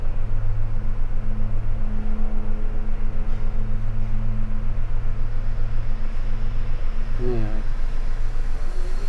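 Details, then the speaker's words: Maruti WagonR CNG after replacing the faulty ignition coil that caused a cylinder 3 misfire (P0303). Started and revved, it settles into a strong, even low idle with no stumbles or misses. Engine stable, fault codes cleared, MIL off. "अभी ignition coil change की है, अभी चालू करके देखते हैं। चालू करो, रेस कर। ओके हो गया, इंजन स्टेबल है।"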